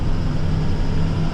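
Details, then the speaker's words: Snow plow truck with salt spreader, while driving: low, steady droning hum under road noise rising with road speed and following wheel rotation; owner suspects a wheel bearing, unconfirmed. "my truck is making a new noise it kind of sounds like a wheel bearing or something like that I'm not exactly sure what it is"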